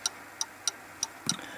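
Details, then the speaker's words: Pendulum clock after beat adjustment, close to in beat: crisp ticks about three per second with only slight long-short unevenness between tick and tock. "It takes a bit of time to get it adjusted properly, you know."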